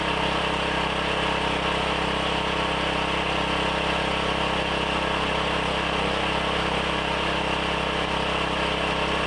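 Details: Briggs & Stratton 7,350 W surge / 5,250 W generator after replacement carb, custom air filter and tune-up, throttle set by rough guess with no load: steady, even drone with no misses, surges or knocks, holding speed cleanly; normal running.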